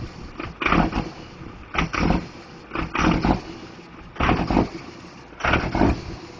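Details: Diesel truck with a bad injector: heavy lumpy surging bursts about every second with a ragged uneven note, a misfire from one injector not firing cleanly.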